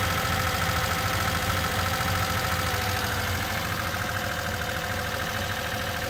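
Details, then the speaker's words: Rebuilt carburettor with one jet slightly too large, though matching the table. Low, uneven idle beat about 200 per minute that lumps and wavers; runs rich from the oversized jet. "Jah, üks tüüsist oli natukene liiga suur. No tabeli järgi peaks sobima, aga panime siis esimesse kambrisse tagasi väiksema tüüsi."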